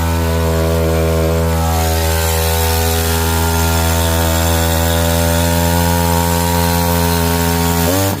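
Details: Echo CS-590 Timber Wolf chainsaw cutting after a no-start was cured with a few drops in the cylinder: a steady high-pitched buzz holds speed evenly through the cut with no stumbling or surging; running properly.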